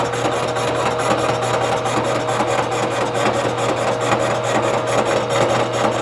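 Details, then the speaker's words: 3-inch face mill truing a warped Ford V10 pickup exhaust manifold flange, lighter finishing pass after chatter: steady cutter hum with light even rasp about twice a second, no chatter or squeal; decent surface finish. Smooth finishing cut. "man that's way better i should have done that to start with of course you know we could just call it a roughing and a finishing pass make it sound like i you know know what i'm doing nice and we're done you know that is actually a pretty decent surface finish"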